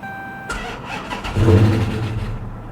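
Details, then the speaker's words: 2022 Honda Civic Sport at salvage auction, started on booster pack after sitting; short crank, catches and flares briefly, then immediately dies and loses all power. "oh and it immediately died and lost all power um I'm just gonna say that didn't sound very good guys that didn't sound very good at all"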